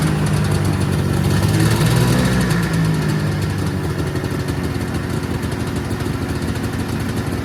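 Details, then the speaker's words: 1979 Yamaha SRX snowmobile two-stroke just started after fuel and cooling system work and fuel pump issues, first run with cooling system hooked up: brief rise in revs, then fairly even, slightly loping idle; normal idle. "sounds too bad to me I'm pretty healthy"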